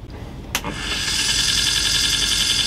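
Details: 1960s–70s Sony TC-357 valve reel-to-reel tape recorder, sat unused, valves still warming up: a click then a thin high whine with slight warble; recurring tape drive noise, cause unclear.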